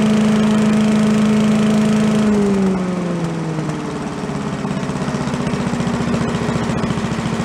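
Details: Commercial walk-behind leaf blower bought not running with carburetor problems (flooding, shut-off not shutting off), after carb work and air cleaner refit: small two-stroke revs high with a steady buzz, then drops to an even, regular idle, some smoke; normal running.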